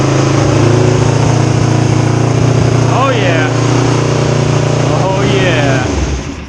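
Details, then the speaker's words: 2005 Ninja 250 twin after timing components were reassembled: even, steady idle with a smooth low hum and no misfire or stumble. Both cylinders are now firing properly. "So much smoother now. Awesome. It sounds like both cylinders are now firing properly."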